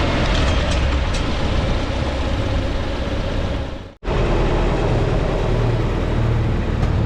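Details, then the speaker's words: 1952 Farmall Super C tractor after fixing a miss, rotor contact prong bent up and mechanical advance possibly stuck and rusted; steady low chugging idle, even beat, no stumbles or skips; normal idle. "I'm happy that it's finally fixed and running well so I'm going to start it up and let you guys hear it"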